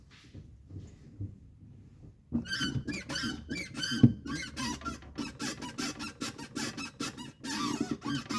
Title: Volkswagen Polo TSI 1.2 Clutch Noise While Depressing Clutch Pedal (Squeaking)